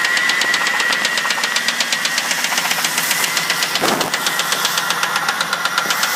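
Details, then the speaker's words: 2000 Crown Victoria started by jumping the starter solenoid after the key failed to crank it: loud, fast, even ticking about four per second over the idle, valvetrain-type; cause not pinned down. "so it's got a real loud tick"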